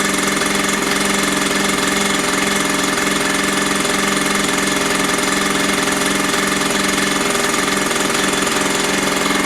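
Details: Mini dirt bike found in a skip, after priming and idle screw adjustment: loud steady buzzy two-stroke with even beat around three per second, no misses; running normally.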